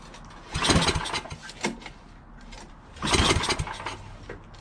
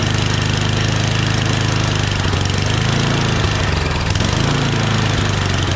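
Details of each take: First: Yardman 8.5 hp 26-inch dual-stage snowblower found disassembled, oil good, gas in tank, throttle part missing: two recoil pulls spin and die without firing, smells of gas; cranks but won't start, spark then checked. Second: Yardman 8.5 hp 26-inch dual-stage snowblower after confirming spark and spraying starting fluid: small single-cylinder engine idles steadily and revs up and down cleanly with throttle; normal idle and throttle response.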